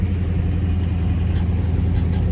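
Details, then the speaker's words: 1971 Chevrolet Chevelle, big block 454 V8 rebuilt under 5000 miles ago, 76,977 miles on body, 4-speed manual, new Holley 4-barrel carb, MSD distributor and wires, new plugs; starts right after 1-2 pumps, deep steady burble settling into even idle, no misses or knocks, healthy. "I'm gonna fire it up. All now. Right, key in the ignition. 1-2 pumps. Starts right"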